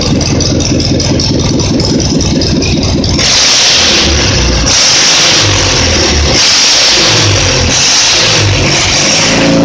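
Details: Simplicity tractor twin-cylinder engine, reassembled after earlier popping and misfiring when revved: it revs up cleanly and holds a steady, even note under throttle with no misfire or popping. It now runs properly, so a carburetor rebuild seems unnecessary.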